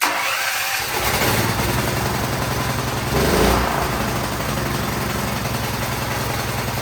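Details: Firman T07571 generator that ran rough with white smoke, restarted after overfilled oil was lowered (valves possibly out slightly): cranks, catches within a second and settles into a steady single-cylinder putter without misses; smoke cleared as oil burned off.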